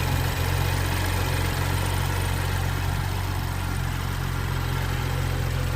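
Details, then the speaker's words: 2013 BMW F20 135i with N55 engine at warm idle, brought in for smoking and misfiring. No misfire was found, but the ECU logged Valvetronic faults. Slightly uneven, lumpy low beat at about three pulses a second: rough idle from worn Valvetronic gears. "if you can see it's not like is it missing it's kind of I'm not sure if this is right or not"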